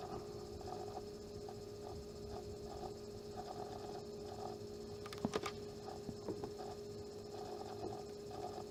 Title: Vega 64 LC Pump grinding noise